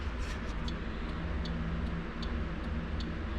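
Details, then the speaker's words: 1966 Ford Galaxie 500 convertible at low idle: new turn signal flasher installed, replacing one that worked but blinked too quickly; crisp, even ticks about every 0.4 seconds over the idle rumble, flasher cycling at a normal rate. "I changed the turn signal flash or two this is what was in there I mean it still works it just blinks the light kind of quick so now it's a little more"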